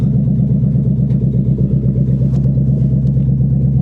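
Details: 1997 Ford Mustang GT V8 running on bare exhaust manifolds only, no pipes or catalytic converters fitted, before SLP Loudmouth and BBK X-pipe install: deep, extremely loud raw unmuffled rumble with a lumpy low pulse while driving off the trailer.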